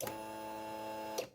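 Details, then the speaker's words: 2009 Polaris Sportsman 800, sat about six months, came in not running with no fuel and the pump not kicking on; with the system totally dry: steady electric hum for just over a second, then a clean cutoff; fuel pump priming normally. "did you hear that that's the sound we want going to take a minute yeah the pump's working it's going to take a minute to get primed the system's totally dry"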